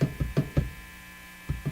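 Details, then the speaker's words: National HRO Sixty receiver at full voltage: a low steady hum under bench knocks with no signal at all. Hum is unchanged across AM/CW/FM/phono, gone with B+ off and unaffected by AVC. A missing connection is suspected and the source is not found. "So that's what I got last time. It's just this hum. Ooh, RF not turned up. RF up. Yeah, so that's about all we get."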